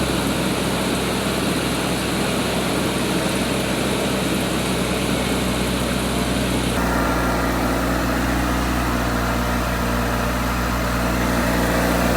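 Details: 1987 Suzuki Samurai fitted with an 1989 Geo Tracker I4, after repairing a suspected blown head gasket: engine starts and settles into a steady, even idle with no misses, knocks or hissing; running fine.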